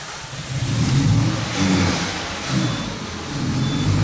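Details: Peugeot 308 2.0 16-valve that is hard to start and going into Eco mode: it catches with difficulty and holds only on throttle with rising and falling surges. Backfire signs are seen at the throttle body, and the cam timing is off.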